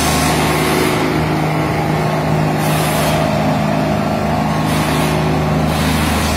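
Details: Derette XC1100 tracked loader after the fix for track resonance that made it shake on concrete: heavy, even diesel drone with steady track rumble, no rhythmic shudder or booming; runs smoothly on its tracks, normal running.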